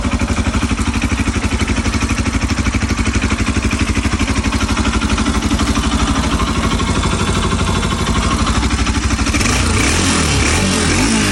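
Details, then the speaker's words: Bajaj Pulsar RS200/NS200 after timing chain repair (chain had jumped, no compression): quick, even firing beats holding steady, then revs lift cleanly with no strange noises, rattle or tick; engine sounds healthy. "Ahí está, amigos, sin ruidos raros. O díganme ustedes cómo la escuchan."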